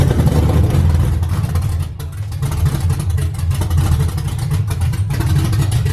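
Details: 5.3 LS swap with a sloppy stage 2 cam and new Kemso 340 lph fuel system, on its initial start-up: a deep V8 rumble with a choppy cam lope, revs rising and settling evenly, no knocks or misses.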